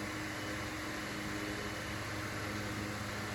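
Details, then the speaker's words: Mainstays 9-inch high velocity fan with shaded pole motor on high speed: steady rushing air, low motor hum, slight rotor sound, no bearing chatter. "And I don't hear the bearing chatter at all, so that's good."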